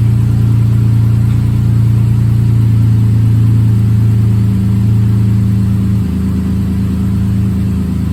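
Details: Rebuilt bored-over 3.9L V6 in a Jeep JK, warming toward operating temperature: steady, even hum with a smooth low drone, no knocks or ticks as it idles down; healthy.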